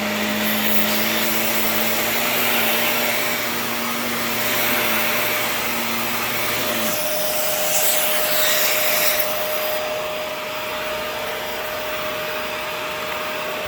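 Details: Shark NV355 vacuum after motor main pod replacement: steady high rushing airflow with a constant thin whine over the motor, smooth and even. Healthy motor.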